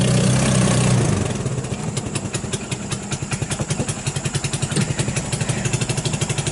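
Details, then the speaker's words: Hammerhead GY6 150cc off-road go-kart after cleaning contaminated fuel from the carburetor: loud start, then a lumpy idle putting at about 3.5 beats a second. Still slightly rich; choke likely still on and needs more warm-up. "there idols purse along a little paint it's still a little rich it might need to warm up a little more the choke that is and come off"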